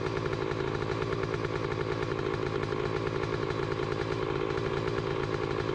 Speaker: well that was easy enough one good kick and it started right up doesn't sound bad uh i know the camera is going to pick up more noise than what i'm hearing but it's not knocking i can't hear the needle bearings or anything good